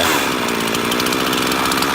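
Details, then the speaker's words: Two-stroke chainsaw with a centrifugal clutch and H, L and T screws, idle being adjusted. A busy, raspy idle runs faster than it should and the chain still creeps; the idle speed is set too high. "you'll see how changing the idle can change the way the lowered the high idle. You can probably hear it."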